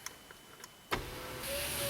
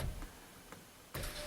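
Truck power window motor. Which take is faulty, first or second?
second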